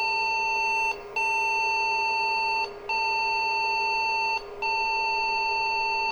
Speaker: now we should hear it beep when we get the computer on because it will still have all those error messages